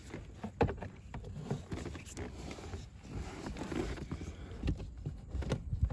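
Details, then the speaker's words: 2004 Chevy Avalanche after blower motor replacement: steady rush of air with smooth fan whoosh at full control, no squeal, rattle or surging; blower runs normally, though AC not blowing very cold. "just listen to that oh it's blowing air full control bam that's all she wrote she's in"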